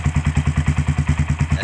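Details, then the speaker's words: 2010 single-piston twin-spark-plug carbureted sport motorcycle, over ten years old, kick-started first try with no battery fitted: even, round idle at about eight firing pulses a second, no misses or clatter, healthy single. "dan dengarkan saja suaranya bagus sekali untuk suara mesinnya dengarkan sangat bulat sekali kelasnya bajaj"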